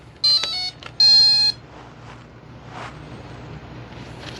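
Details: H-King Bixler 1.1m V2 RC plane with upgraded 30A ESC and brushless motor, no prop fitted, battery plugged in after the throttle trim was fully zeroed: two short high beeps, the second longer, then quiet. Normal ESC arming tune.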